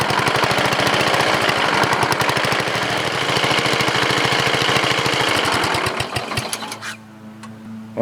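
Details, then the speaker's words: Briggs & Stratton 14.5HP OHV single (model 28) riding mower engine, new coil/magneto, stock muffler; fast rough rattling knock then dies; internal rubbing or knocking that persists with flywheel cover off, cause unknown. "sound like something rubbing somewhere I'm going to check it out a little bit ok guys so the noise is internal I took the flywheel cover off and ran it and still make noise"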